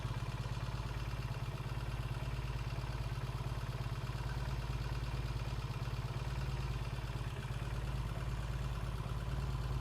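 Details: 1968 Triumph T100C twin idling while warming up after a cold start: steady low thump with light mechanical clatter on top; sounds healthy, good oil flow, no leaks, charging okay.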